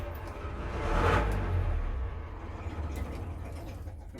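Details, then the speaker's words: Sailing yacht diesel engine (38ft steel pilothouse cutter) not run for 15 years: low chug swells as it catches, settles into steady fairly even beat; starts and keeps running. "Okay, once more. Bit of heat. It's running. Sounds nice."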